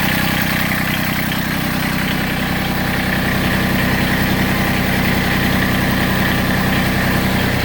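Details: Massey Ferguson GC1710 sub-compact tractor diesel idled down: heavy uneven idle with a lumpy, shaking beat two or three times a second, seat rocking, power loss; owner suspects a cylinder misfiring or not firing, not confirmed.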